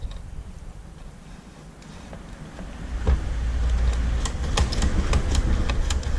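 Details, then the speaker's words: Citroën 2CV engine, carburettor stood empty 20 years, cranked on a very flat battery with full choke and some throttle; quiet, then low starter churn about three beats per second, never fires; owner thinks carburettor still filling. "I think we're still filling the carburettor up, to be honest."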